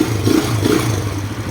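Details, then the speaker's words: Kawasaki KSR motorcycle that starts hard, stalls after riding and won't hold carburetor idle; uneven surging revs as throttle keeps it alive. Cracked intake air hose lets in too much air; fix is replacing the three-way hose. "ท่อพวกนี้มีปัญหาเรื่องแตกนะครับผมนี่อากาศเข้าตรงบริเวณตัวคอIDเยอะเกินไปนะครับทำให้เครื่องยนต์จูนไม่ได้นะครับแล้วก็ดับนะครับผม"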